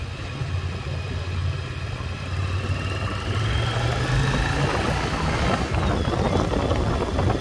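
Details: 1996 Yamaha Virago XV750 V-twin, sat untouched about 10 years in a garage, now cleaned up, riding off on a test ride: steady low drone rising smoothly, no stumbling or popping; running well.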